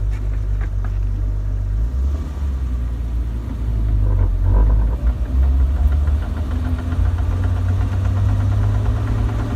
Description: 1997 Jeep TJ, 4.0L with 5peed manual. Started making a clicking sound after transfer case fluid change